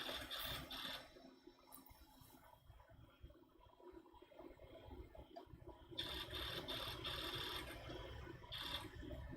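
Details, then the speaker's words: Apple Power Macintosh 7100 with its old original hard drive, booting: faint, soft scratchy seek bursts repeating every few seconds in an endless loop, no grinding; the drive can't finish booting. "I'm not sure if you can hear this but the hard drive now is just going to go into a loop basically where it's gonna keep doing this um it's not grinding fortunately"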